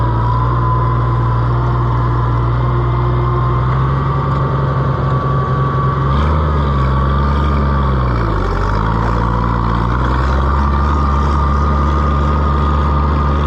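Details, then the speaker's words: Oliver 1650 tractor that intermittently won't run at its owner's place: steady even engine hum with a smooth dip and recovery, no misses or knocks; runs healthy here, cause still unknown. "I cannot figure out why it runs here but it won't run at his house sounds healthy"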